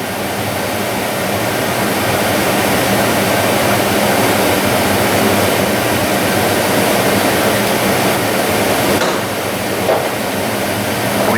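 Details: 2003 Dodge Ram 2500 5.7L Hemi rebuilt heater box, blower running while foot-well actuator moves its door: steady rushing airflow with slight change; foam-sealed doors cut airflow greatly but leak a little, which is normal.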